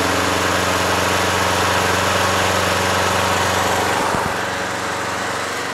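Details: Craftsman push lawn mower with a swapped engine, just fired up after winter storage, holds a steady, even single-cylinder drone at governed speed with no surging or misses; RPM is perfect and it runs as it should.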